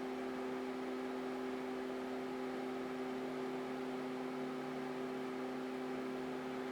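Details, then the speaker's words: Alienware Aurora R8 with Dynatron cooler fan, CPU pegged at 100°C near 4 GHz, 73% fan speed under full stress load: steady rushing airflow with two constant hums; significantly louder. "we got 73 fan speed and you probably can hear that uh it is significantly louder"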